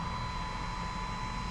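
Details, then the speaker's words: Van build DC-DC charger cooling: 30mm 12V computer fans powered through a relay after rewiring: faint, even whir with thin steady high tone over low hum; fans spinning properly, normal operation. "so let's see what happens when I do that I hope you can hear that the fans are running"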